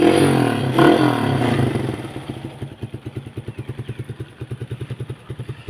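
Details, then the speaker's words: Used Kawasaki KSR small single-cylinder motorcycle with weak battery, just started: steady idle of even pops about four a second, smooth with no knocks or rattles; sounds healthy. "ถือว่าดีเลยนะฮะนิ่มๆนะครับ"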